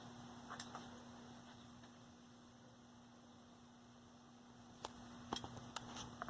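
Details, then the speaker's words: 1965 Zenith 19-inch black-and-white TV, 14M28 chassis, just taken off the limiter onto straight line power: only steady transformer hum and handling clicks, with sound present but no vertical buzz. No vertical deflection. "see if we hear any vertical nope no vertical i don't hear it running got sound though"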